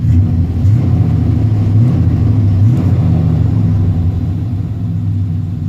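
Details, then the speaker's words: 1990 Chevrolet K1500 Silverado, 350 5.7L TBI V8, automatic, heard inside cabin after fix: deep steady rumble, smooth engine, no ticking; noise loudest where driver floorboard meets firewall, caused by fuel lines touching a brake line under truck, now gone. "No more ticking sound whatsoever. The issue was under the truck, of course."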